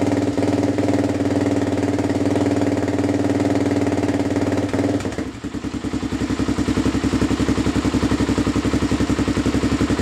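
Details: Suzuki LTZ400 quad after rejetting: 170 main jet, needle on last (richest) setting, spark arrestor removed. Steady fast idle dropping to even thumping idle, about three to four beats a second, no stumbling; running better than before, minor exhaust leak at muffler slip joint.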